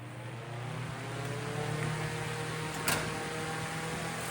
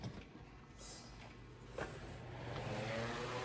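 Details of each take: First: Vintage 10-inch Eskimo oscillating fan, probably 1940s, before rewiring and tune-up: fan spins up to a steady hum with a light, uneven rattle; something loose in the oscillation mechanism, owner tightens it. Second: 10-inch Eskimo oscillating fan after rewiring and tune-up, drawing 58 W against a 55 W rating. It gives a steady mains buzz with airflow and no longer makes its former rattle: running normally.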